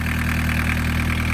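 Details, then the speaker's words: Barn-find VW Caddy pickup, mechanical diesel, 154,000 miles, off the road over 20 years, after first start: smooth, steady diesel idle with a regular low beat and no misfire or rattle; runs cleanly, sounds perfect. "And this is why you need a mechanical diesel engine. Absolutely right. This is what we just said. Mechanical diesel engine. Job done. That sounds perfect, doesn't it?"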